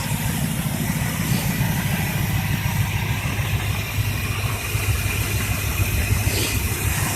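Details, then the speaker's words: Chevy 305 High Output V8 with a suspected heavy cam, possibly a 350 cam, idling after a cold start with choke off: steady, even low rumble with a lumpy cam beat and no misses or knocks; normal idle. "305 high output uh runs pretty good pretty sure it's got a heavy cam in"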